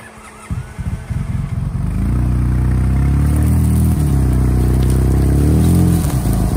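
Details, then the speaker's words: Polaris RZR just after a head gasket replacement, first start-up: the engine catches and climbs to a rough uneven run with dips under throttle, cutting out. Owner suspects the mass airflow sensor, throttle position sensor less likely. "so as you can see just then you can see it actually cut out when i gave it some gas i don't know what's up with that"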